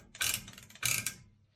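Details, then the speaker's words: Ford F-350 rear drum brake during a brake job, drum turned by hand: two short dry scrapes, one per revolution. The parking brake shoes are fully loosened and likely shifted to one side, so they rub one side of the drum. "All that is the emergency brakes on the inside. They're not set right now because I have them all the way loose, so they're probably over to one side, so it's hitting one side of the drum a little bit as it spi"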